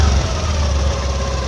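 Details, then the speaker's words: Honda Activa 6G BS6 scooter idling after belt and damaged drive parts replaced (had low pickup, mileage and heating): steady low rumble, even beat, no knocks, rattles or belt squeal; normal idle, engine and CVT healthy. "देख पा रहे हैं ना इसमें base का आवाज मिलेगा ना ओर का आवाज मिलेगा। सारा कुछ नया लगा हुआ है और परफेक्ट साउंड हो चुका है।"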